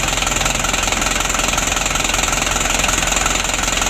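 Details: 2016 Hino Dutro 130 HD diesel at idle, with the Bosch pump plunger adjustment bottomed out and unadjustable. Loud diesel clatter pulses about three to four times a second with a shaky, uneven beat, and heavy smoke follows. The idle is rough and unsteady.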